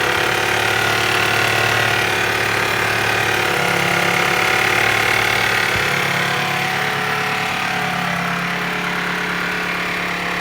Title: Honda CR-V стук двигателя